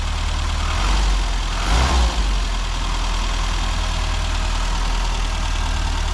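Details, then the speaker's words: 1998 Japanese-import Classic Mini with air conditioning, not sure if MPI or SPI: steady, even low idle with a smooth, regular beat and a brief outside disturbance. The engine sounds healthy and great. "We're going to hear the engine. Brilliant. You don't get modern engines sounding like that. Sounds great."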